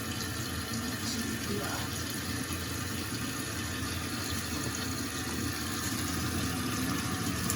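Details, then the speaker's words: Toilet tank refilling after replacing the fill valve and flapper with new parts. A steady even rush of water with no hissing or stutter, no leaks underneath; normal refill. "So I'm going to leave the towels there for the moment while the tank fills up."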